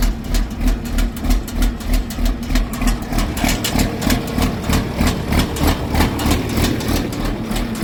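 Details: John Deere 4430 diesel after replacing a leaky fuel filter, possible air in the fuel system: starts and settles into a steady low chug about three beats a second, even and unbroken, no air stumble; normal idle.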